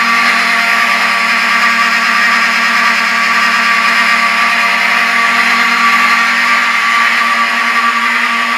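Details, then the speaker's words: Vintage Wheelock 7002T horn strobe on demo board after pull-station activation: steady buzzy horn blaring continuously with small uneven dips where each strobe flash draws power and the horn skips. "the Wheelock 70002 ts are kind of Infamous for their skipping that they do which you might have heard that where the horn kind of Skips and the reason it does that is because every time the strobe flashes it takes up some power from the horn"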